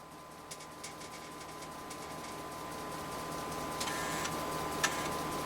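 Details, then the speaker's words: Convergent Technologies AWS formatting an 80-track disk on a substituted 3.5" floppy drive, real disk media, now around track 53: quick, fairly even head-step ticking about 3.5 per second over faint steady hum; normal track-to-track stepping. "okay well it's real disk media but we're proving out that this can work now for the second time the system functions past track 43."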